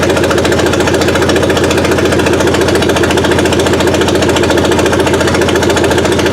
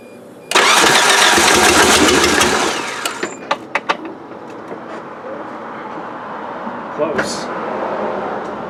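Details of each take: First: Suzuki Sidekick with a swapped-in 16-valve engine on its first run, timing set near 8 degrees BTDC. A fast even firing beat with a steady throb and no misses gives a smooth idle. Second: Suzuki Sidekick after an 8-valve to 16-valve engine swap, compression about 140, first start attempt after adding a separate distributor ground for spark. Loud rough cranking with a few sharp pops, never catches; timing suspected too advanced, not confirmed.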